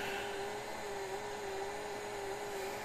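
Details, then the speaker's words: Pioneer ST-676 Hi-Fi unit found at a German scrapyard, just powered on: a steady, fairly high hum at one pitch over a faint airy background. The cooling seems to work oddly, cause suspected, not confirmed. "гудит так непонятно слышите да охлаждение у него как-то непонятно работает"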